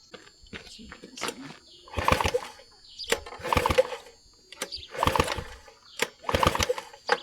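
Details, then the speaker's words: Vintage outboard: repeated rope pulls about once a second give only whooshing compression strokes, never firing; no spark seen, owner suspects dirty points. "I don't think it's got any spark. Usually means points. Points are dirty."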